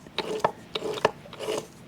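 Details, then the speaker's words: Manual transmission removed from a 4-cylinder Foxbody Mustang, turned by hand: irregular rasping, grinding scrapes in uneven bursts; burnt-looking old fluid, input shaft play, broken top-cover pieces; owner convinced the fluid is gear oil. "sounds bad even with that gear roll yeah I'm convinced it's gear roll now"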